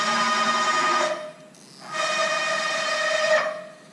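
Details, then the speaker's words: Haas VF-3 retrofit with Chinese servo drives: loud steady buzzing that cuts out briefly and returns while the axis holds still, the whole machine, ball screw and frame shaking; servo oscillation from excessive gain, motor holding position too tightly on encoder feedback. "That is the motor trying to hold so tight the position that will create vibrations on the whole uh ball screw, frame of the machine, all of that will vibrate with that motor holding trying to hold that position in with the encoder feedback and See how loud it is? The whole machine shakes when when it stops and"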